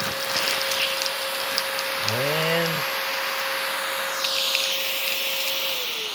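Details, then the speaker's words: Oraimo H3 handheld vacuum used without attachments to pick up dog food: steady motor whine, then a brief rising squeal and a change in airflow as the particles clog the inlet. "we still managed to clog now we did get some in obviously there it is but some did clog and you could hear the airflow change"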